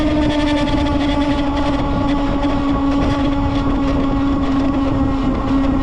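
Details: Lectric XP 2.0 e-bike: loud steady whine at one pitch over a rough rattling background; an abnormal noise, cause unknown.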